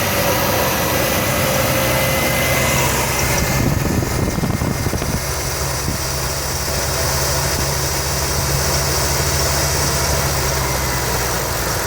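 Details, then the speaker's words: 1989 Chevy S10, 4.3 TBI V6: uneven low idle with a loping, shaky beat and stumbles; shudder at low rpm; owner suspects a misfiring cylinder and fuel getting into oil, running rich or past rings; unconfirmed. "so it's possible I have one cylinder that's misfiring as well and that's what's causing the vibration but sorry now my main concern is vibration at the low rpms and the poor idle"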